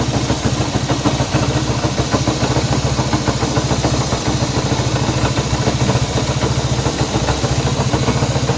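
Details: Honda CB190R idle carrying a quick, somewhat uneven rattle of about three beats a second over the engine note; abnormal engine noise, cause unclear.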